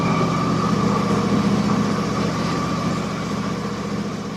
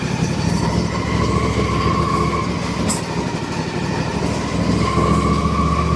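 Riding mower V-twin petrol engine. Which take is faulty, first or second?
second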